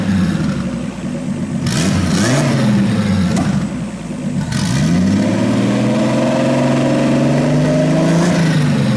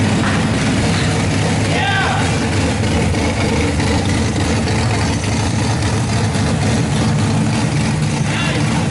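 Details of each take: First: RB26-swapped Subaru WRX on a Haltech ECU base map, air-fuel ratio brought down from about 15-16 to 12, fans on, warming up: engine blips and settles cleanly with smooth pitch changes; no misfires, normal free revving. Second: RB26 straight-six swapped into a Subaru WRX, first start on a Haltech Platinum ECU base map, cooling not yet plumbed: loud steady low rumble that doesn't settle cleanly, not running 100%; rough running, cause unknown.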